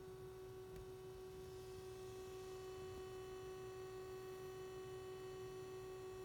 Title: SDS200 At Menu Screen with Humming Noise